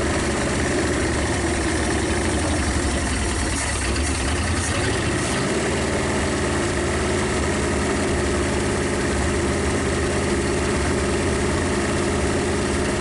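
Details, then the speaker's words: 1956 Studebaker Golden Hawk V8 on first start: low, steady rumble that briefly roughens then settles, all cylinders firing, no knocks or clatter. Smoke is PB Blaster on the manifolds. Owner thinks it needs running and plans compression tests and probably a valve check. "Anyway, I think she'll be okay. I just think it's going to take some running."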